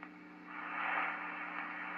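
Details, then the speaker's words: Swan 350 vintage transceiver with power supply, after all-new capacitors in both: soft even hiss with faint low hum, quieter than before after pulling out the Jones plug wiring at the back; deflected right away, receiver static reduced. "pull that out a little bit the Jones plug but it did deflect right away this time that's better"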